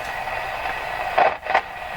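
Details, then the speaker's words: Canadian Spartan Model 5542 vintage radio after replacing the capacitor suspected of causing motorboating oscillation, tuned between stations: even soft hiss with a couple of brief crackles; normal atmospheric hiss. "so now it sounds more normal you hear the atmospheric [Applause] hiss"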